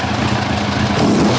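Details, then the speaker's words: 1990 Kawasaki ZZR1100 four-cylinder, which had been running on three cylinders: after plug leads 2 and 3 were swapped back, a short blip of revs is even and crisp, with all four headers getting hot and no misfire. "fired it up and it's all fine"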